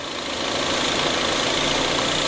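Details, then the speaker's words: DS5 THP petrol engine at idle: cricket-like airy hiss as vacuum builds, stopping when the oil dipstick tube is opened, caused by a torn rubber PCV diaphragm leaking vacuum. "Tá sentindo esse grilinho bem no começo? Ó. Começa o vácuo, ó, e ele começa a fazer o ruído, ó."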